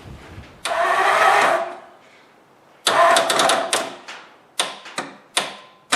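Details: 1954 Ford Skyliner, first start after carburetor rebuild: short bursts of slow cranking grow weaker and shorter with no catch, starter losing power from a poor battery terminal connection.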